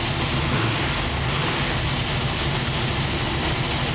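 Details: 903 cu in Hemi running super rich, before the camshaft was reground on correct angles: loud, ragged roar with an uneven lumpy beat, one bank fighting the other; wrong camshaft timing from a mis-ground cam.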